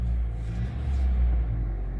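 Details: Vectra that sometimes started then died, restarted (the pump is suspected): the engine settles into an even, steady low rumble with no stumble or miss. Normal start and idle.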